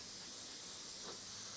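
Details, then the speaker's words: Airbrush with the main-line pressure dialed down to 10 psi: a steady, even hiss with no sputter or pulsing, not blowing back off the hand; clean, normal airflow. "just dial your air pressure in on your main line drop it at 10 and just see how that sounds at 10 yeah it's not really blowing back off your hand it's nice you can feel the air"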